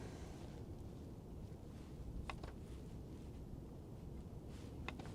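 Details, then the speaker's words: Truma diesel boiler in Hymer campervan, after engineer cleared lockout caused by running fuel tank too low: few sharp ignition clicks over low steady fan hum, then flame with no errors; normal ignition after repair. "can hear the boiler clicking to ignite, I can hear the fan going, and in a moment we'll check the vents."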